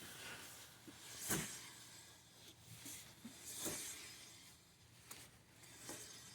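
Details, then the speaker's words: Honda ST1300 rear disc, wheel spun by hand with only the center caliper piston extended and the outer pistons not pushed out via the SMC: a faint swishing scrape about every two seconds, the pad lightly dragging on the disc. "so this is with the two outer Pistons activated via the SMC not pushed out so those would not be adding a drag at this point it would only be the center piston"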